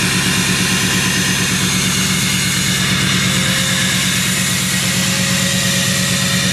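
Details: Duramax diesel cold start at about 27–28°F, no glow plugs used; steady even diesel clatter holding a raised high idle with no misses or knocks, a healthy cold-start high idle.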